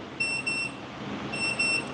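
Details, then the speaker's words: Coffee roaster being power-cycled because Bluetooth would not connect: two short bursts of paired high beeps in a quiet room; normal startup beep. "you hear the beeping means the machine is actually uh starting okay"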